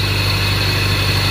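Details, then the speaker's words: 1992 Toyota Celica at steady idle before replacement: a constant high whine that never changes pitch rides on top, coming from the failed, no-longer-working alternator. "it's almost like a whining noise, but that noise that you guys are hearing It's coming from this alternator that is not working anymore."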